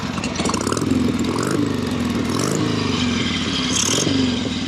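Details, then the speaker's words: 1976 Harley-Davidson Sportster 1000 Ironhead V-twin in neutral; loping idle with quick throttle blips, air rushing into the carburetor on each blip, typical shake. Normal idle and revving. "There it is. See that little shake in there? Everything shakes, rattles, and rolls."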